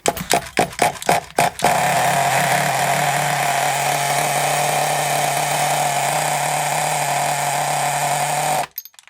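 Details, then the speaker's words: Hot Thunder Tiger .28 Pro nitro RC engine, possible air leak from a part not seated or sealing: a few pull-start bursts, then a high steady buzz that cuts out abruptly; owner thinks it runs too rich once the glow starter is removed. "Don't like it when I take off the glow starter. I think it's too rich now."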